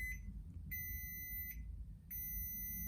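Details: Small jump pack powering Pop-Up scissor lift: sharp high beeps in short pairs over a quiet hum as the pack cuts off; owner suspects back feed when the lift motor stopped.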